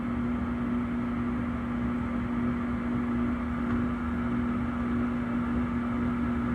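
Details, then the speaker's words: 2009 Trane gas furnace, inducer jumped and water cleared from the pressure switch: the blower runs with an even hum and smooth airflow, no rattles. The tech concludes a new control board will fix it. "there it goes okay so obviously a board will fix this furnace we've jumped out the inducer got it going got the water out of the pressure switch everything is fired up blowers going and everything"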